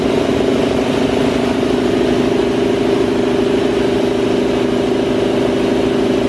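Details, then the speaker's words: Newly installed Jenny air compressor on rubber mounts, pumping up to operating pressure with the Prevost air lines: an even mid-pitched hum with a fast steady pulse and no knocks or rattles; quieter on the rubber and not loud. "Quieter on the rubber. Yeah. See, I don't think that's loud at all. It's not."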